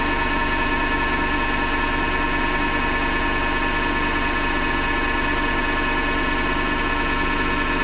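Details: Hotpoint Ariston FMD963 washing machine: constant rough grinding over a steady whir with a faint pulse about once a second; owner thinks it comes from the motor, not the drum, and plans to test with the belt removed.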